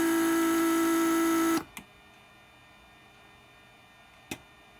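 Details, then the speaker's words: Mercedes S320 repaired PSE door lock pump, headrest circuit test: steady mid-pitched hum about 1.5 s, clean shutoff; everything works as intended, pump healthy. "there so everything works just as intended I'm perfectly fine with the pump I'm very happy with it"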